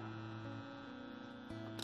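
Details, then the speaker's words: Low steady hum and buzz under faint music, from an Insignia sound bar fed by a SXM radio and an Insignia TV through a 3.5 mm three-piece splitter. Removing the splitter and plugging the TV straight in is expected to stop it. "now what we're gonna do is turn our surround sound on and if you notice still got some buzzing going on"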